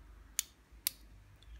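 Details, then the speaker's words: Washer-dryer water-level pressure switch, removed and pressed by hand at the diaphragm: the three-legged switch actuates the reed switches with two crisp clicks about half a second apart, one for each water level; normal pressure switch operation. "we've got this three-legged switch over here which operates the reed switches and you can hear it clicking as we push it down here"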